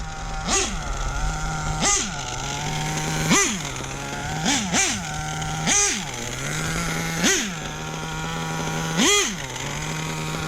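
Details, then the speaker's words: Hobao Hyper VS2 nitro buggy on its 11th break-in tank: repeated high revving bursts with harsh metallic rasp over engine scream; clutch bell grinding, metal eating metal, engine locked up soon after. "that it's a sound of metal eating metal alive"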